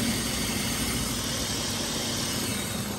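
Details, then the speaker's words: Vehicle engine idling evenly with a constant airy hiss from somewhere under the throttle body and intake area; a large vacuum leak is suspected, not confirmed. "you have what sounds like a large vacuum leak [Music] sounds like it's coming somewhere under the throttle body intake valve area"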